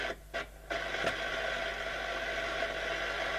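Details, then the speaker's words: Bush VHF61 valve radio, recap did not help: once warmed up, FM works briefly and then turns to a steady rough hiss with short dropouts and no clear programme; distortion caused by a faulty first IF valve, cured by substituting an EF85. "It would come on okay, then it would go to making it very distorted."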